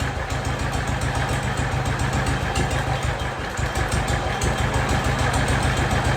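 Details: Jacobsen Chief 1200 tractor, cast-iron Kohler 301 single with a Chinese carburetor, after sitting 3 years, with the idle raised: an even, steady thump with regular firing, no smoke; normal idle.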